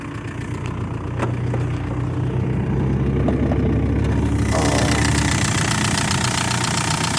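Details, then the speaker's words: 2001 VW Beetle ALH TDI donor car, 122,000 miles, rollover damaged, glow plug circuit code, no serpentine belt: steady low diesel clatter at even idle, faint high whirr joining halfway, no misses; runs pretty nice, slight white smoke, smells of oil. "And it's running pretty nice."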